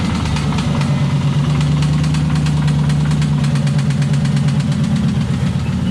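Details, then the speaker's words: LS-swapped BMW E36 with a 4.8 V8 that failed after a hard spin while drifting, possibly oil-starved: a steady metallic knock about three times a second over a rough idle, suspected rod knock, with metal shavings on the dipstick. "you could i'm sure you could kind of hear the noises going on there from that video of you pulling in but doesn't sound good i'll be honest definitely sounds sort of like the top end"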